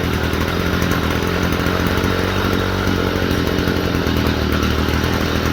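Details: Stihl FS45 string trimmer after a fuel/priming problem and a spark plug cleaning, run on freshly mixed two-stroke fuel: a steady, even two-stroke buzz with no stumbling or surging, running cleanly.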